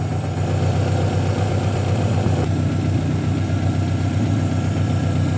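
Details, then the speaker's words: Honda H22A idling after fixing cold-start high idle surge at the fast idle valve (not IAC) and spraying throttle body cleaner: low, even, steady idle with no hunting or surging. Normal idle, quieter than before. "is a h22 a by the way the idol is very steady the engine is actually running a lot better lot quieter and better than before"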